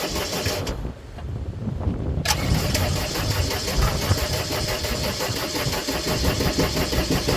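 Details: Gehl 4640 skid steer with Deutz diesel, quit and won't restart: steady rapid cranking about two per second, engine turning over but never catching; the fuel shut-off solenoid is not pulling in.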